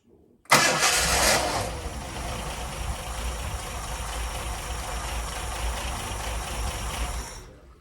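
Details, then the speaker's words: Ford Mk1 Granada 3.0 V6 Ghia being recommissioned, now starting on the key: a short burst of cranking, then it catches at once and settles into a steady, even idle. "it's actually starting on its own called on a button now so just turn the key again"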